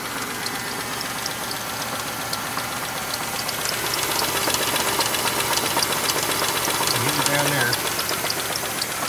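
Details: 2000 Chevrolet Monte Carlo with 138,919 miles at idle: steady sharp ticking knock about four per second over a rough idle, deep bottom-end knock suspected to be a rod knock despite recent bearing work; engine likely worn out.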